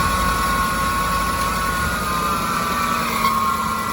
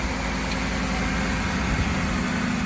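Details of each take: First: 2006 Ford F-150 engine idling on a cold day with a steady high metallic whine and rough grinding edge. The alternator was suspected first, but the noise comes from a dry idler pulley bearing hidden under the air intake. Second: 2006 Ford F150 idling in cold weather after its dry, grinding idler pulley bearing (hidden under the air intake) was replaced with a greased junkyard pulley: a steady, even low rumble with no grinding or scraping from the belt drive.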